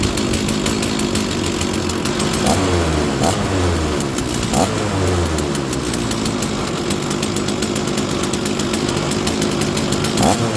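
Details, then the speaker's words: Stihl 036 chainsaw that sat probably 20 years, primed with a squirt of fuel, now drawing its own fuel from the tank: rough two-stroke buzz revs up and down a few times, then holds a steady high drone; normal running. "By priming it, you get it running and it'll start to suck fuel out of the fuel tank, and it should keep it going."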